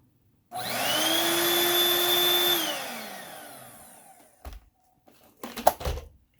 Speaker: there's no filter in it so I need to put a filter in it but other than that it does work good